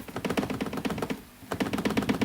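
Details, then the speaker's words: 2017 Ford F150 5.0 with Roush cold air intake under moderate-heavy acceleration: quick hollow plastic tapping, about eight knocks a second, as the loose-fitting factory inlet duct (about 1/8 inch gap) rattles against the Roush air box. "but this rattles like crazy. And the rattle is coming from the piece that goes into here, and it's hitting the plastic of the air box."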